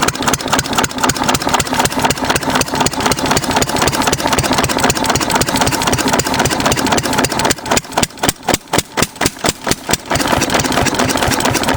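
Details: 6 HP Witte diesel-electric engine, about 80 years old, running again after about 30 years following valve work, oil change and fuel-system cleaning; started with exhaust valve held open, governor hunts briefly then settles; strong, even thump about four a second, briefly spacing into single strokes; healthy idle.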